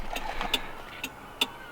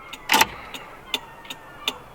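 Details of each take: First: Volkswagen Rabbit Pickup at idle: sharp flasher clicks roughly every half second; left indicator flashes on-off slowly, audibly, instead of one filament staying lit while the other flashes, a faulty slow turn signal. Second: VW Rabbit Pickup indicator after sorting a fiddly left bulb whose two filaments weren't both working: light, even relay ticks at roughly 160 a minute, both sides now flashing at the same normal speed.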